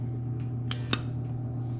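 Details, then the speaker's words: Old soda vending machine (circa 1975–80) not cooling: steady fan hum then two sharp clicks from the start relay as it grounds out, compressor never starts. Compressor is locked up; cooling deck needs replacing. "Now, what you're going to listen for is a little click in this piece. And that's where it grounds out because this thing is locked up."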